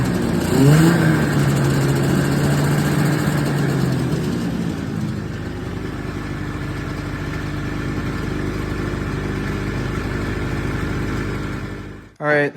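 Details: 1979 Yamaha SRX snowmobile two-stroke, restored fuel and cooling systems, after skid reinstall and track adjuster cleaning: steady, even drone holding one speed, no knocks or rattles, then clean shutoff; normal running.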